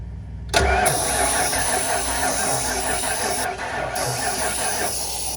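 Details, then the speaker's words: 1996 Ford F-250, 460 big-block V8 with rat damage, starter fluid sprayed into intake: steady cranking about five seconds with no firing; cranks but won't start, suspected no spark. "yeah she ain't getting no spark she's got plenty of goat juice"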